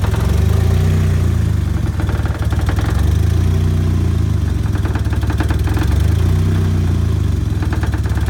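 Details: 1994 Mazda Miata with a turbo, idling badly and nearly dying at stops. A loud, lumpy idle sags and surges every few seconds; the owner suspects a heavily leaking exhaust manifold next to the turbo is choking it, unconfirmed.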